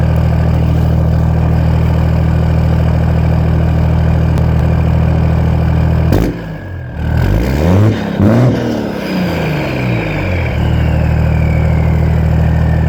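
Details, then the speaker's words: Straight-piped 6.7 Cummins 2nd-gen swap with S467 turbo, 5-inch turbo-back exhaust, ~700hp build: deep, even idle with steady beat, running clean and healthy. "Sounds good. It's a badass build."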